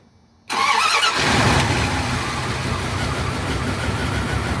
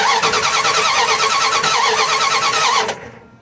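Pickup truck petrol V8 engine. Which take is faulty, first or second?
second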